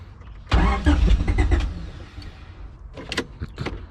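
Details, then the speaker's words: Junkyard-assembled LSVTEC engine with temporary injectors, fuel type uncertain (smells like E85), small fuel leak, fuel pump running: starter spins it hard about 1.5 seconds, it catches briefly then stumbles out; cranks but won't keep running, cause unconfirmed. "I did turn it on a few times, or attempted to turn it on a few times, and it just choked itself out."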